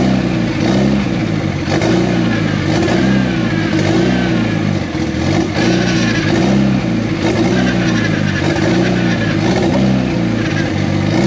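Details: Project car first started after almost 10 years, with no mass airflow sensor and some lines not yet hooked up: loud raw note surges and falls off unevenly, struggling to hold idle. Owner suspects the missing MAF sensor; unconfirmed.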